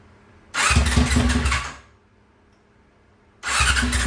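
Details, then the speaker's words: 2001 Yamaha R6 on its first start in three years after a carburetor rebuild with all new jets: busy cranking bursts that briefly catch and die, a rough hard start. The cause was found to be bad gas. "Well, guys, I hope you see the sweat on me. It's been all day working on this thing, but I finally got it started. It was rough. It was real rough."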